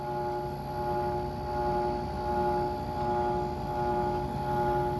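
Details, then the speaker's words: 1989 Carrier window air conditioner, used find, compressor mounts may need work: even whirring hum with steady high tones swelling and fading while cooling well; unexplained compressor whir. "gone make that noise that whirling sound oh yeah it's getting nice and cold"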